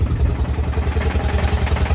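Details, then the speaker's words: Audi A4 converted to a 1.9 ALH TDI diesel, first key start with the throttle stop wedged after idle screw adjustment: lumpy, uneven low thump with some clatter; rough idle, owner suspects idle speed or slightly off timing. "sounds a little funky maybe just didn't like that idle speed spinning"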